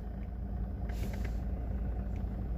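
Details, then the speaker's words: Lada Vesta at idle, clutch pedal released: low steady idle with faint irregular rattle that stops when the clutch is pressed or gear lever loaded; owner told it doesn't affect driving, cause unconfirmed. "вот выжимаешь сцепление проходит и когда рычаг нагрузку на рычаг даешь например типа первым включаешь и или типа вторую и звук проходит вот опять слышите"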